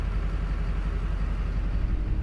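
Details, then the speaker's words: 2005 Duramax with Allison 1000 at 299K miles after cracked flexplate replacement and shorted transmission wiring fixed: steady, even diesel idle with smooth low rumble, no more knocking from bellhousing. "We got the truck back and running. Sounds like it's supposed to. No more clanky clank."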